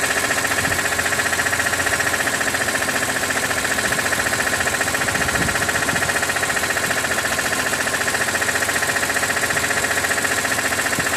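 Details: 2006 BMW E46 M3, 42,600 km, warm idle above 80°C oil temperature: fast, even tick roughly three per second over smooth idle; source unknown, owner wonders about the oil pump.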